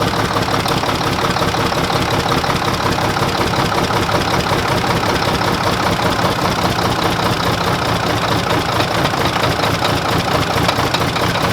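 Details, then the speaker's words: Old Mack diesel truck, just started after bleeding injectors and jumping two batteries, idling lumpy with a repeating stumble; cylinder six is dead, getting no fuel from the injection pump at the rack. "the reason it's run like crap it's number six he doesn't have any fuel coming out of right here where I'm controlling the rack"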